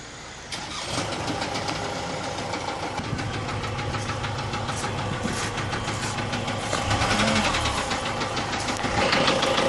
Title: Big end bearing knocking sound engine fault 2004 Ford Transit Tdci